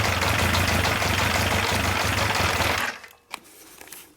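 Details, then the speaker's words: Yamaha 1200 FJ four-cylinder café racer on first start, during carb synchronisation: a fast busy idle runs about three seconds, then stalls. Owner suspects the fuel pump not feeding fuel, or possibly a small air leak. "donc le problème c'est qu'elle call donc je sais pas si j'ai une petite prise d'air quelque part ou si c'est le fait de ne pas avoir la pompe qui gavent d'essence moi je pense que c'est plutôt ça"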